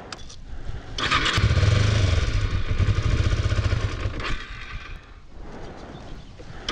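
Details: Used Kawasaki Ninja 250R being inspected by a buyer: the engine cranks and catches, then runs rough and uneven, surging, dipping and coughing irregularly instead of settling to a steady idle.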